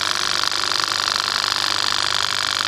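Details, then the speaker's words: Wagner 435 7.8 hp diaphragm airless pump (F230 equivalent), after internal hydraulic rebuild for loud noise and oil leak, pressure raised via hydraulic valve so return shuts and pressure goes to diaphragm: steady even hiss and rapid buzz, no knocking or surging; pump fine. "and then as soon as I open it up for pressure, it shuts off that return and it directs all the pressure towards the diaphragm. So I'm pretty happy to say now that this pump is fine."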